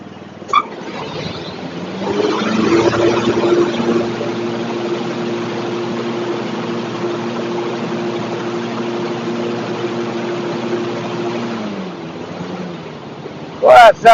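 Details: Zero-turn riding mower deck after the blade spindles were replaced and sharpened blades fitted: a steady, even hum as the blades spin up smoothly and hold speed, with no wobble, rattle or grind. Normal running.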